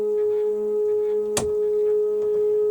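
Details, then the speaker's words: Newly finished lathe stepper motor feed drive, running after a direction change on the fly: clean steady high-pitched hum with one brief click, no squeaks or grinding; healthy feed, minimum speed goes down to hardly moving. "no squeaks or worries about it at all with that and obviously my minimum is right down to hardly moving"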